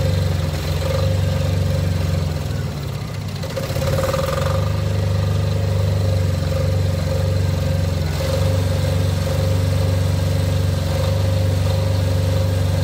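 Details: Off-grid diesel generator after service for fuel problems and cutting out, test run before load: steady low even throb, no lumpy misfire or hunting; lumpiness seems cured, running smoothly at idle.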